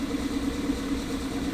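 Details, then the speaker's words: Toyota MR2 petrol engine at warm idle: slightly uneven beat with a faint stumble from a misfire, absent when started stone cold and appearing as it warmed. "got a little bit of a misfire and it didn't when he first started up why don't you was stone cold and it started up no misfire but as it's got a little bit warmer"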